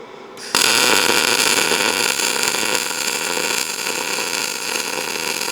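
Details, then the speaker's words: ArcCaptain MIG 205 MP short-arc MIG, early welds with wire speed too fast before it was lowered to 425 then 380: harsh crackle and hiss with uneven spatter instead of a smooth hum; crackly arc from settings not yet dialed in. "So, the first two the first two welds were more crackly. I like more of a hum."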